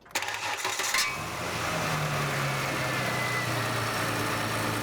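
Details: Engine cranks, catches quickly and settles into a smooth steady idle with no misses while a pressure gauge in a catalytic converter test stays in the good range.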